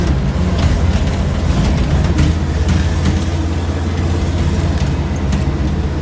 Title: 1975 Bedford CJ running with a nasty exhaust leak